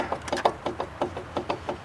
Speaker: you see that play right there so this is our problem i tried to put grease in it as you just saw but the grease is just flowing right back out and when that's the case you just got to replace this outer tie rod